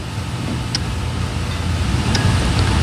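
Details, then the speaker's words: Car with overheating problem, scan tool toggling cooling fan on/off, engine running: faint sharp cooling fan relay clicks with no fan whir following; relay likely sending power but fan not coming on. "That's the cooling fan relay trying to turn that fan on. So it's likely sending power supply to the fan just not coming on."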